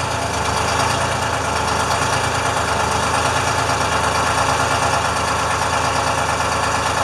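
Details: International firetruck with a Detroit diesel, after a ground cable repair and new batteries. Just started with good oil pressure and the alternator charging, it gives a steady, even idle clatter with a constant air-leak hiss. It sounds healthy.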